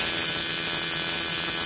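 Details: Battery-operated buzz coil box with relay for a hit-and-miss engine, powered with contact made; steady bright high-pitched buzz with no breaks, trembler throwing a continuous multiple spark. Working as it should.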